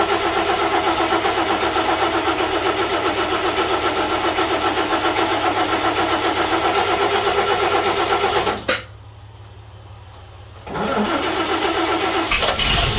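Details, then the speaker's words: 1941 GMC one-ton pickup, 230ci straight six, first start attempts with the fuel pump not yet hooked up, so the carb is hand-fed. It runs evenly about eight seconds, then abruptly dies and briefly refires: stalling from fuel starvation. "we got real close that time"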